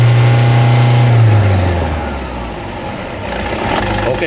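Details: Toyota D4D diesel at steady, even idle with smooth low drone, no squeal, chirp or rattle from the belt side; runs normally.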